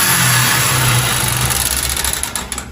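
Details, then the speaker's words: Yamaha XBR motorcycle brought in for an oil change: loud, harsh revving with rough, clattery mechanical noise. The pistons and rings are worn out, and the cam chain is also suspected. "Bem, pistão e anel não tem mais aí, não, tá?"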